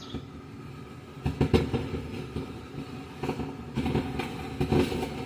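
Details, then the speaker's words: Consert AV73 BT amplifier: the mic channel gives a steady rushing hiss with irregular crackling bursts when its volume is raised, even with no mic connected; other channels are quiet. "Yan po ang problema nitong microphone dito banda."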